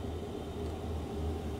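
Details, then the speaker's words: Happybuy 5 kW Chinese diesel heater in a cargo trailer tiny home, just switched off by holding the off button: low, steady fan hum with no combustion roar as it cycles down blowing cold air to cool itself; normal cooldown run. "And then it's going to, you probably can't see it in this light. It cycles down and it'll run cold air over the actual motor on the outside to help cool it down."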